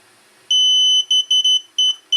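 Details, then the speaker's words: DJI Spark controller binding after pressing flight pause, function and rear customizable buttons together: a long high beep then quick short beeps against silence, confirming the remote is bound. "you hear the beep, and there we go, it is bound, as you can see."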